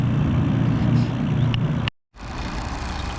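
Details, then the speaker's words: Vacuum pump evacuating a mini split before releasing the charge, valves off, holding at 349 microns: low, steady hum that drops off and settles quieter and even. Pump running quiet at deep vacuum. "right, guys, you can hear how quiet it is now, and we're down to 349. So she's holding,"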